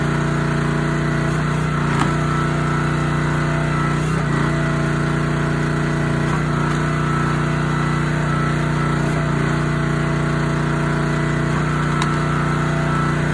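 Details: Honda GX160 SplitFire wood splitter after carb clean and oil change for bogging and stalling; steady, even single-cylinder drone holds speed under load with faint wood cracks, smooth, running healthy.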